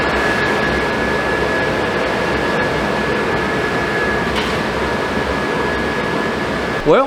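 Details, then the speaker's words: Suburban RV furnace after replacing the fan motor and control board, running on the truck: even burner roar and steady blower rush with a faint thin whistle, no rattles or scraping. Normal furnace operation. "I'm going to call that a success folks she's sitting there on the truck burning and smells good sounds good and is good"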